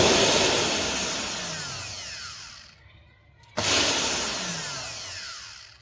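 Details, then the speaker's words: Multi-purpose blender's universal motor, powered directly, whirs then stops dead at a certain rotor position and restarts only after being turned by hand; dead spot from open commutator segments. "con này đang có hiện tượng là khi mà quay đến một vệt trí nhất định là nó sẽ không quay m"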